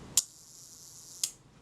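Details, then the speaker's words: Kodak Retina IIIc shutter on the bench during a service, retard gear train adjusted via screw against the main drive cam: a click, a smooth even whirr of about one second, then a click; normal slow-speed run-down, screw to be lightly tightened. "That sounded pretty good. It's a good place to start anyway. That was running nice and smoothly."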